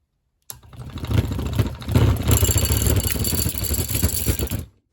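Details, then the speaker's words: Harbor Freight Central Machinery vibratory tumbler motor, a couple of years old, with its switch bypassed: about four seconds of low electrical hum and buzz, never spinning up; spins freely unpowered, owner suspects an internal fault. "you can tell it wants to go it's not mechanically locked up in any way it spins free when it's powered off something's wrong internally"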